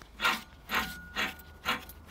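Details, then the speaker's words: Peugeot 107 rear wheel, bare hub spun by hand: rough, gritty rasping in bursts from a worn rear wheel bearing, clearly audible. "ouais bon il y a pas photo en faisant tourner la roue c'est vraiment c'est flagrant"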